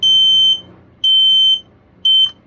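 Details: Kidde 0946 ionization smoke alarm, new unit with battery just fitted, test button pressed: three loud, piercing high beeps about half a second long, each cut off cleanly on release; sounder tests fine.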